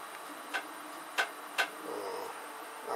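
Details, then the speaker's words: 3D printer about one hour into a roughly 3.5-hour print: three sharp knocks half a second apart over a faint hum. The printer's servo arm is knocking. "that knocking. That's my servo arm."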